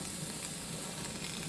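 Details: Pressure canner venting while canning fresh green beans: continuous, even steam hiss with no sputter or pulsing before it comes up to pressure; the counter begins once air stops releasing. Normal venting.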